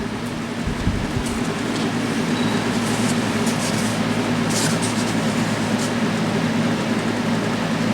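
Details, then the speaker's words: Kenmore 20" box fan model 258.32062310, dirty and possibly slightly warped blade, on low speed: steady low whirring rumble with coarse shuddering undertone; fan shakes quite a bit, not outrageously loud for its airflow. "Well, it shakes, I'll give it that much. It shakes quite a bit. It's not outrageously loud for the amount of air that it's moving."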